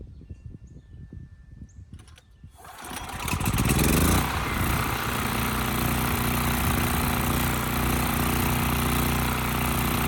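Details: Westinghouse 7,000-watt generator with rusted gas tank and gummed carburetor, possibly slightly flooded: pull-start rattle, catches, revs, then speed wavers; surges, had to be kept on choke, frequency read about 75–80 Hz. Carburetor suspected.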